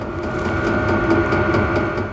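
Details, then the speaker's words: Vevor 12 V 5 kW diesel heater in a Baja Bug Beetle, 35°F outside, during warm-up: a steady combustion roar with a faint regular click-click-click. This is the normal fuel dosing pump; no clicking would mean a fault. "when it's running you'll hear a click click click if you don't hear the clicking something's wrong"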